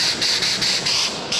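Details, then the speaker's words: Oxy-acetylene cutting torch, acetylene 100, oxygen 400, flame not run too hot: steady high-pitched hiss with a soft feathering flutter about five times a second; normal properly adjusted cutting flame. "You'll hear that feathering. That's what I call it."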